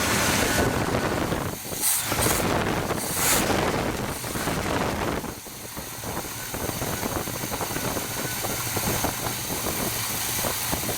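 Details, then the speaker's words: Big-block V8 swapped into a dually, first start after the carburetor was found full of coolant and oil: it fires right up and settles into a smooth idle under hiss and wind, no knock or tapping, over 40 psi oil pressure; owner thinks power steering may be a little low. "hey listen she fired right up it sounds like there might got a little weak"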